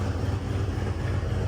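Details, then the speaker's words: 1971 Ford F100 NASCAR-tribute truck with turbo V8 and short-bed conversion, first start after the build, cold. Deep, even low rumble with no knocks or misses. A little smoky, which the owner attributes to it being cold. Normal cold idle. "that sounds awesome holy [ __ ] that sounds good A little Smokey that's probably because it's cold definitely nothing else"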